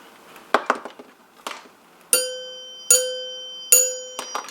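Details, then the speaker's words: 1930s NuTone Time-Chime 2-note door chime base after reassembly, acorn nuts tightened over grommets: three struck notes ring thin and sound poor; tone bar clamped too tight, to be backed off slightly. Overtightened chime tone bar. "all right now see that doesn't sound good at all that sounds terribly so we'll back these off just a little bit"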